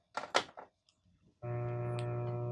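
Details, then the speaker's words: Mains hum from an RF modulator fed by an N64 into a TV's VHF/UHF input on channel 13: a thick, steady low buzzy hum from switch-on, very loud and most pronounced on the N64 logo screen, likely a faulty power supply. "a very loud hum along with of course the sound and it's really pronounced when the N64 is just showing the logo look at the mic closer so yeah that really sounds like power related"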